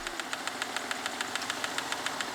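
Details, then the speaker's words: BMW E39 5 Series after extensive restoration and parts replacement: quick light ticking about seven taps a second over a smooth idle, unchanged from before; source not pinned down, engine ticking. "I'm pretty much trying to eliminate everything minor that could be that ticking noise I have."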